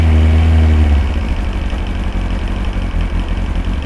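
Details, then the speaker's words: Old carbureted Kawasaki ZX-9R cold idle on choke, warming before oil change: steady, even low idle with a smooth pulse of about four beats a second and no misses; owner notes a petrol smell and suspects it runs rich. "just starts on the button for such an old motorcycle it's crazy"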